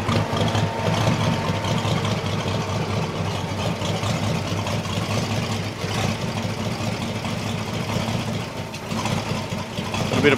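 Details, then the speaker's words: Holden 202 petrol six in a converted Caterpillar D2, just started after about 12 years: steady low rumble, slightly lumpy and uneven, with smoke as the lifters pump up. Owner suspects the carb needle and seat are stuck open and flooding the engine. "smoke there she's a bit FY but all the lifters are starting to charge and fls going out of her I think the noodle and seats stuck open a bit it's flooding The Bu re"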